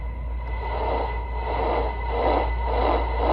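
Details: Icom IC-7100 on low HF: steady whistling tones over hiss, worse with volume and shifting in frequency with supply voltage (11.8 V to 13.4 V), generated by the PWM audio power amplifier; the IC-7300 is also affected; fix is a linear amp swap.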